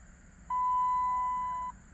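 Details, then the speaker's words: Dodge Challenger dash: single clean, steady high beep of about a second, the TPMS warning after an oil-change reset, because the front driver and rear passenger tire pressure sensors have failed; front driver sensor was replaced about a year ago. "now it says something else, which is check TPMS, because I need a TPMS sensor, as you can see, front driver and rear passenger."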